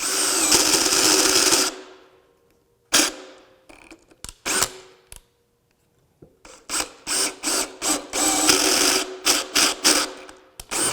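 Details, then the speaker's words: DEWALT ATOMIC DCD794 20V brushless 1/2" drill, 5/8" bit: motor whine cuts out and restarts in uneven bursts as gearbox slips; suspected gear machining or spring pressure fault at speed selector, not confirmed. "There's that gearbox issue again. That's just not safe. So there appears to be a small issue with the machining on one of the gears that helps with the speed selection."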